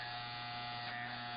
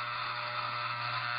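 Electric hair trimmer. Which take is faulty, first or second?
second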